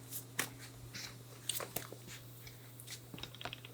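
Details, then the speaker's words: Nissan 240SX drift build with S13 axles; rear CV joint, about 32–33 years old, worked by hand after a suspected wheel bearing: scattered dry crunches and clicks over a faint hum, a worn CV joint. "you know what might not be my wheel bearing oh God yeah oh yeah that is not supposed to sound like"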